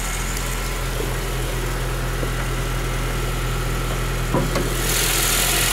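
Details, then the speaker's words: 2008 Honda Civic Si, stock engine, idling with the hood up: steady, even low hum with slight exhaust noise, no knocks, misses or whine, normal idle. "Rock doesn't sound bad for stock engine a little bit exhaust noise not much"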